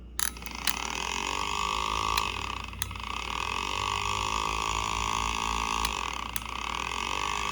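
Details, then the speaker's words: Bosch 3-channel ABS hydraulic unit from a 1989 Mercedes-Benz 560SEL, bench-tested with relay powered and pump motor grounded: steady electric whir, even high hum, no grinding; pump motor runs normally. "And if I turn on the yellow white, you can see this, no sorry, yellow red, that will be the one for the pump motor, and I have the pump motor grounded, so we should hear the pump motor"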